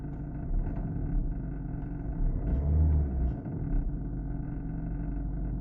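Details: VW Golf 1.6 TDI idling with a deep diesel rumble broken by faint, uneven knocks and creaks that come and go; the cause is unknown.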